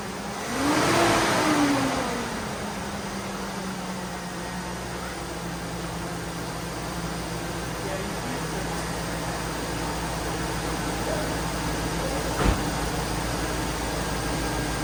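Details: GMC Yukon after installing a new AC Delco 15-4694 fan clutch, in the garage: start with brief flare, then steady even idle with constant fan sound, no rattle or howl; normal.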